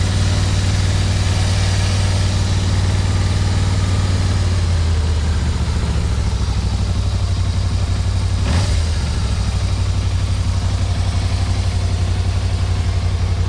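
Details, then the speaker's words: 1991 Yamaha Venture Royale after revival and warm-up, choke off: deep steady idle rumble, even, no stumbling or hunting; carbs seemingly not too dirty; normal idle. "all right so I'm going to turn the choke off yeah running without the choke that's really good sign"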